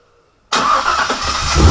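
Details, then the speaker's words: Outlaw buggy idling after fabrication, first start with full exhaust and new headers installed, all gaskets on and tight, one rear hanger still missing: deep, throaty, loud exhaust note settling to an even idle with no leaks or ticks. Sounds mean but tolerable; healthy. "Sounds mean, but it is tolerable. It's actually a really good sound. I'm really pumped right now."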